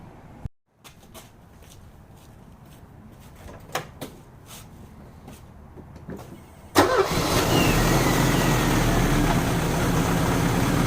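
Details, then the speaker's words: Euro-spec Mercedes 190E 2.0 five-speed manual, first cold start on a chilly day after cleaning spark plugs and rerouting vacuum lines: quiet clicks, catches at once, strong even idle, no misses; healthy cold start. "all right you guys can see that was the complete cold start that is the first start of today and it's a little chilly out today so it's really good to see that it started right up"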